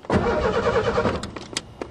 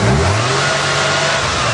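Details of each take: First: Two bursts of cranking, each catching briefly then dying; the car ran in winter but now won't start. It was not the coil. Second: 3.8 engine revving after a fuel pressure no-start was resolved: picks up cleanly and holds a steady, even rev with no misses or knocks; it sounds totally sweet.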